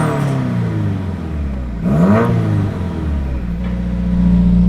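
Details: Subaru after repair of its broken exhaust, new exhaust part fitted and still burning in: clean idle, a sharp rev rising and falling, then steady idle with no rattles, ticks or leak puffing; normal, healthy exhaust note.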